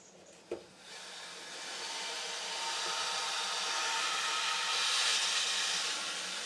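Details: New 1.5 kW hydroelectric turbine in North Wales, first start-up after fitting the manifold: soft hiss rises over a couple of seconds into a smooth, even rushing whirr; turbine spins up and runs cleanly, normal running.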